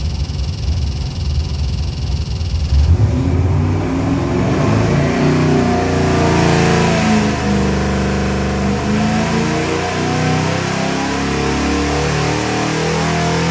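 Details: Ford 351W-based 427ci stroker V8 for 1969 Mach 1 Mustang, Holley Sniper EFI, on dyno, warm (~160°F): full-throttle pull, strong roar climbing smoothly, clean and even with no misses or knocks.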